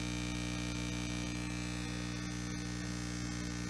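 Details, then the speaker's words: Homemade tube amplifier at first power-up, tubes warming: steady low hum with buzzy overtones, unchanging; builder says he knows its source and plans to fit 100 ohm resistors; mains hum. "It's been going a couple minutes. I hear the hum, I know where it's coming from."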